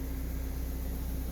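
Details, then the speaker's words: Toyota rear wheel bearing on drum-brake RWD axle after replacement: new bearing spins with no noise, only a low steady drivetrain hum with no grinding or rumble; bearing correctly installed and quiet. "H comprobamos que El balero fue correctamente instalado y que no provoca ningún ruido al girar"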